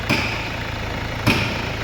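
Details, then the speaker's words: Mercedes-Benz CLS W218 diesel after engine repair, fresh oil, metal debris found in the sump: steady even idle, low smooth beat, no repeating knock apart from two isolated thumps; earlier loud knock gone. "นิ่งเลยไม่เขกแล้วตอนแรกมันเขกดังก๊อกๆๆๆๆๆเลยครับตอนแรกนะเขกดังมากนะ"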